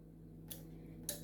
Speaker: the relay is clicking why because when i close the ignition turn the ignition key on current to flow to ground so this relay will respond it is actually closing it is closing but look at the circuit nothing is happening